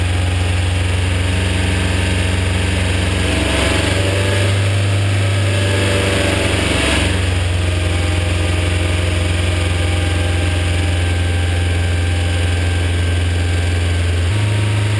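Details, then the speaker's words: BMW E30 with M42 engine, recently restarted, idling and revving: a light, uneven tick over the low hum. Stuck hydraulic lifters are suspected, unconfirmed; the fix tried is running the engine to get oil through them. "I've spent some time talking to people on the Rev limited pages and the Ontario 830 pages about what that could be and the consensus seems to be that it the noise may be coming from stuck hydraulic lifters"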